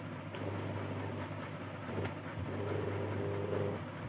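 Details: Cooler fan motor after cleaning corroded aluminium winding leads and new capacitor, tested on low/medium/high: steady low hum, even whirr, no scraping or grinding, not getting hot; normal running.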